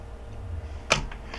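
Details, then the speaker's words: Minolta XK in auto mode at f16, the far end of the lens's range: one crisp click opens the shutter, then softer closing sounds follow a few tenths of a second later, a much longer auto-chosen shutter speed than at f1.4; normal. "you could hear that was a much longer shutter speed. So the camera is figuring out in auto mode what speed it should use."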